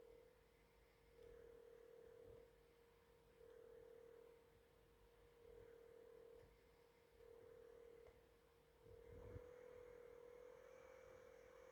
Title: Weird cpu fan sound GE66 Raider